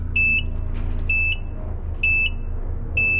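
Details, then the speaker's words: Peterbilt truck at first start after cab refit and rebuilt fuel tanks, shop air plugged in so not low air: high dash buzzer in short bursts about once a second over steady diesel idle; cause unknown. "don't know if it's meant to do that or not but that's what this one's doing"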